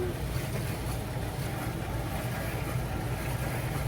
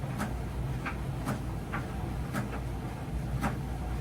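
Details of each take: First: Miele T8003 dryer after carbon brush replacement, running empty: steady low motor hum, drum turns without rubbing, knocking or scraping, only a tiny normal screech; running normally. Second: Miele T8003 tumble dryer running with a low rumble and a sharp thump about once a second, which the customer calls screeching or thumping. Cause is worn motor carbon brushes, part 4490382 or 5153702.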